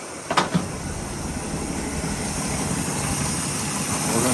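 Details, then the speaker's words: 1981 Chevy K10 cold start after replacing the intake and exhaust gaskets to fix an exhaust leak, with the power steering pump removed: steady, fairly quiet idle with no ticking or puffing at the manifold; much quieter than before, exhaust now sealed. "You can already tell she's much quieter, whole lot quieter than if you go back to the uh original video."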